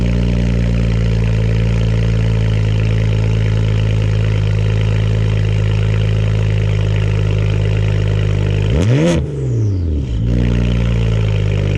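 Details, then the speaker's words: 2010 BMW 335 cold start, heard from the rear at the exhaust with Cherry Bomb 12-inch glasspack muffler, tip reinstalled: steady even cold idle with deep burble, one clean throttle blip rising and settling smoothly; healthy. "alright guys let's see what she sounds like cold start guys yeah I'm just gonna stitch out back here so y'all can just get the full-on cold start"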